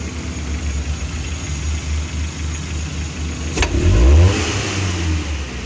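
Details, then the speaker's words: Futura 1.5 (1500 cc) car: steady idle then crisp blips that rise and fall with no delay or shake, unlike before; mechanic suspects a weak fuel pump may still need replacing with the filter. "si akselerasinya kalau dari gas-gasnya ini saat kita injak secara spontan ini udah normal Ya udah langsung udah langsung responsif tidak delay kayak sebelumnya ndak getar dulu baru ngegas gitu baru tinggi untuk gasnya nih ya nih"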